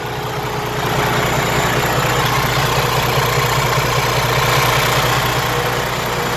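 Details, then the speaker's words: Likely 2019–2020 Freightliner Cascadia DD15 diesel with codes SPN 5571 FMI 7 and SPN 157 FMI 18, idling after start: heavy, rough idle with a hard pulsing clatter, nothing broken inside; fuel pump fault, computer commanding 400 bar but rail pressure reading wrong. "Muy pesado ese ruido, pero no es nada que esté quebrado adentro. Es problema de la bomba de combustible."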